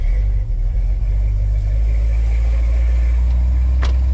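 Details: Squarebody Chevy dually V8 after an HEI distributor rebuild; it had refused to start before. Deep, even rumble with a steady beat and no misses or knocks. Normal smooth running.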